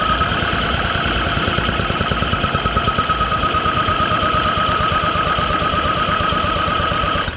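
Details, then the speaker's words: Metropolitan car, first start attempt after fixing bad gas, stuck throttle cables and fluids, carburettor known damaged: rapid cranking with uneven firing pops that never catch; spark and fuel confirmed, mixture suspected. "okay definitely hear the sparkle going off so that's we got everything we need spark is working fuel is working now we just need the mix to work"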